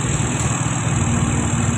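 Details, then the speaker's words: Fuel-injected Yamaha Xeon scooter after the repair, check-engine light off, with code 22 having shown before and a bent socket pin blamed; ISC reset via code 67: an even, steady drone near 1,500 rpm and under 1,800 rpm; normal idle. "Và sau đó chúng ta sẽ xem trên màn hình giám sát, lý tưởng cho tốc độ không tải là khoảng 1.500 vòng/phút, đúng vậy, nó dao động ở đó. Về cơ bản, nó dưới 1.800 vòng/phút."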